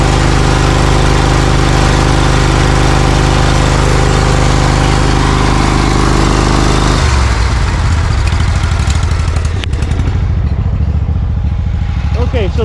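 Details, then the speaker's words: Briggs & Stratton Vanguard 20 HP V-Twin zero-turn mower warming up: uneven lopsided putter turning ragged; right exhaust only 124° vs left 500°, right cylinder misfiring from a damaged, chewed ignition coil wire; popping begins. "So I would immediately assume that the right side is trying to warm up, but there must be an issue with it."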